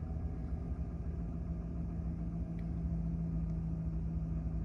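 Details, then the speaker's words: 2011 Chevy Silverado 5.3L with DOD/AFM, 72,000 mi, after a P0307 cylinder 7 misfire. Idles with a deep, even rumble and no stumble or vibration after the number 7 spark plug was replaced. Normal idle, misfire apparently fixed. "Okay, let's fire up here. All right, smooth. So far, so good. No weird vibrations or nothing."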